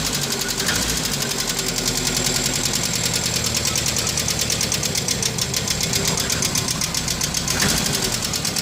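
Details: Renault R12 with a suspect engine noise: steady fast knocking over an even idle, same rhythm throughout; engine knocking, cause unknown.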